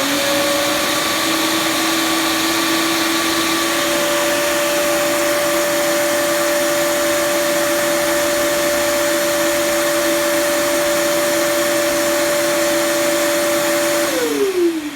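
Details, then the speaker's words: Shop vacuum run through an Etoolcity automated dust-collection switch with a Delta 36725 table saw (15 A) on a 20 A circuit: steady high motor whine for about fourteen seconds, then smooth wind-down after a short delay at shutoff; working normally. "The vacuum. So it's got that little bit of a delay, so you can kind of see a little bit more of it here."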